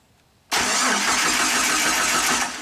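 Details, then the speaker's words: 2005 Jeep Wrangler with a no-crank: the starter relay is pulled and its load-side pins jumpered with a fused wire in neutral. The starter kicks in sharply and spins at a steady, even whir without grinding. Starter cranking normally; load side OK. "First check I want to do on the load side, just jump these two pins, make sure the starter spins."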